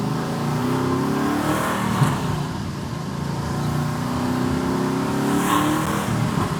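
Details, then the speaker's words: Camaro SS freshly fitted with twin turbos, after fixing a mass air sensor that was not reading: the engine pulls cleanly at about quarter throttle with a rising whoosh as boost builds; turbos spool normally and it runs far better. "Yes, it's running a million times better now. We're getting into boost."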